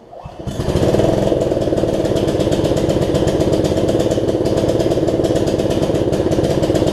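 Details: Snapper rear-engine rider, test ride after a new deck belt and throttle cable repair, before the carb cleaning: steady putter with a slightly uneven, lumpy beat under load; owner thinks the carb has some gunk in it.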